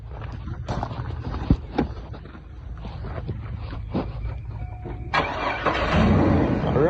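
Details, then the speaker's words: Chevrolet Trailblazer Edition Blazer, former daily driver with burned-up transmission after a popped line: starter whirs briefly, engine catches cleanly and settles into a steady, even idle with no knocks or misses; sounds healthy. "right sounds healthy"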